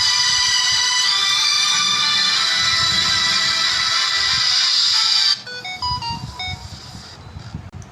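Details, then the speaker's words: Samsung Galaxy A10s (A107F) loudspeaker playing a ringtone after a software fix for distorted, overly loud sound. It plays loud and clean with no crackle, rattle or buzz; the speaker works normally. "ये देखिए आवाज़ कितनी clear हो गई है। इसके बाद इसको सॉफ्टवेयर करने के बाद इसकी आवाज़ बिल्कुल क्लियर हो चुकी है, पहले से बिल्कुल 100 गुना।"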